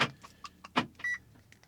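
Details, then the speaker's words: Audi with new key battery: driver-side door lock silent, working maybe 1 in 50 times, while passenger side locks with sharp clunks; driver-side door lock actuator failure, being replaced. "passenger side working, but the driver's side just doesn't work. It sometimes, maybe 1 in 50 times it will work."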